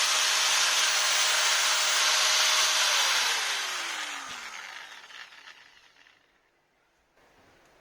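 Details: Maktec MT960 4" angle grinder after replacing the bevel gear and spindle bearings: clean steady whine, then smooth falling coast-down with no rumble or grinding; grinder runs healthy.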